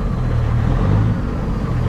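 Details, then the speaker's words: Peterbilt 379 semi diesel with loss of power: low, lumpy idle with uneven hiccuping beat and weak low end; mechanic suspects injectors not firing well, possibly cam; cause unconfirmed. "sounds like the injectors are not firing all that good could be a cam too"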